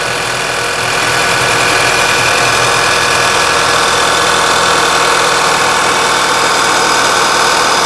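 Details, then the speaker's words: 2011 VW Tiguan after repair of P0300 rough running, a valve replaced, slightly reduced crankcase vacuum; steady even idle with smooth hiss-heavy tone, no stumble, much smoother with good idle quality. "But as you can see, it's running much smoother now. Idle quality is good."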